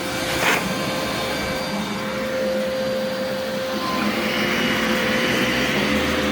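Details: Brand-new Legacy-era high-filtration vacuum, brush shut off when upright, brief run: steady even motor hum, clean high tone, constant airflow, no rattles or surging; healthy.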